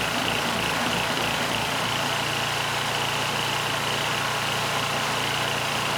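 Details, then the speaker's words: Powermate SX 3250 W generator (PM0123250), choke on, governor spring tension too low so it runs slow of the 61.5 Hz target: steady, fairly even drone with a slight low-note shift; still surging, carb suspected. "And assuming it starts, it's going to run slow. I didn't put enough spring tension on. So, we'll try to bring that up to 61 and a half hertz."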